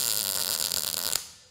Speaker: you want to hear a clear crisp tone all the way through clear